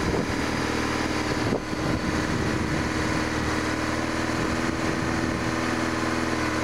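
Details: BMW R1100RS oilhead with about 75,700 miles and a mechanical oil pressure gauge fitted, tested over an oil light flickering at hot idle: steady, even idle with a smooth exhaust beat and no knocks; oil pressure good.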